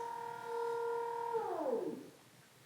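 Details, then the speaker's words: Leesa adjustable base made by Leggett and Platt, head and foot motors lowering together: loud steady drill-like whine holding one pitch, then dropping away as the motor winds down; owner unsure it should be this loud, cause unknown. "pretty sure you can hear it, guys. It's like someone drilling. It sounds like a drill. I'm not sure if it's supposed to be this loud."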